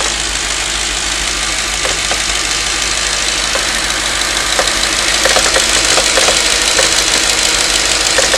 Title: Knocking noise after warm up..can anyone tell me?